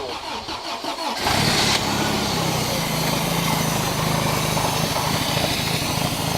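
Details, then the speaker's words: Toyota truck after the carburetor was reinstalled, mixture not yet adjusted and running very lean: a short crank, quick catch and steady even idle, and it now revs up without dying, far better than before. "That sounds way better than before, dude. Yeah, it does. And it actually revs up. Look. It actually revs up. Without sounding like it's dying."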